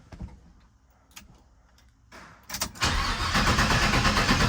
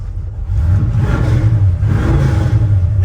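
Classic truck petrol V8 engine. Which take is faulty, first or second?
first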